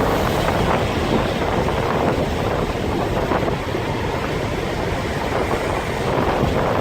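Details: Turbo engine while driving, after K03 turbos replaced with K04s on the same tune: loud steady rushing air-sucking whoosh over driving noise, no knock; owner unsure if normal and feels boost hits less hard.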